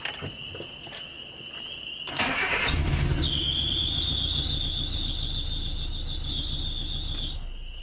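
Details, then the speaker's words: Suzuki Samurai with Microsquirt ECU distributorless coil-pack ignition conversion, first start: engine catches and a loud steady high-pitched squeal holds over the idle; badly squeaking accessory belt slipping, alternator belt then tightened. "it runs I've got a horribly squeaking battle I've got to get that address"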